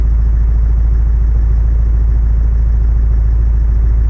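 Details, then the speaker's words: Engine running for the first time after a snapped cambelt that bent 7 of 8 pushrods, repaired with head gasket work: steady, even low idle pulsing about three and a half times a second, no knocks, misses or smoke. "It's actually starting."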